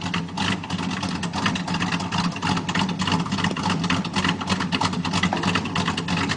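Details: 1987 Chevy 350 V8 with cam and flat-top pistons, just bought, first start, needs a tune-up: choppy, uneven, irregularly loping burble under a few throttle blips; rough running on revving.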